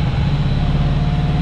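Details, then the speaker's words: 1998 Chevrolet Camaro 3.8L V6 manual, reportedly missing two cylinders, smoky: low, lumpy idle with uneven chugging and stumbles, badly needs a tune-up; rough idle. "not gonna lie folks this thing really needs a tune up"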